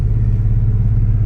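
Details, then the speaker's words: 2000 Chevrolet Corvette V8 with a homemade exhaust after the X-pipe and no muffler: loud, deep, raw throbbing burble; TPMS sensor fault warning at start; straight-through exhaust sounds nasty and mean, too loud for the owner. "no muffler or anything like that so it sounds pretty nasty pretty mean but it's almost a bit too much for me because i don't like it to be loud"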